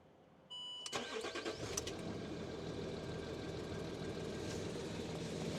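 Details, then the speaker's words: Land Rover Discovery 3 2.7L TDV6 diesel, 255,000 km, start-up after winter oil change with 5W-40 in snow: brief crank, catches at once, steady even idle with slight ticking owner accepts for mileage; normal start and idle. "On the button, yes, like a kitten. So it's running good, a bit of ticking, but it's run 255,000 kilometers, so it's allowed to tick a bit."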